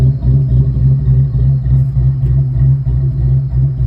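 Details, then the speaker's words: Ford Mustang cammed 4.6 SOHC V8 rebuild, first start: heavy lumpy idle with loose flopping knock about three times a second beneath; a broken exhaust hanger swinging, not engine knock, fixed later. "That sounds just an exhaust hanger that I broke flopping around. It's not engine knock. It was fixed later."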